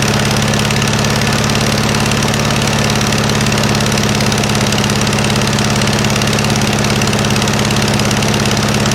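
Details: 1956 VW Beetle engine at idle on a stock Solex 34 PICT 3 carburetor, chilly day: a regular puffing pop about three times a second over the engine note. It is exhaust leaking at the heat riser flanges, which have no bolts fitted, not valves.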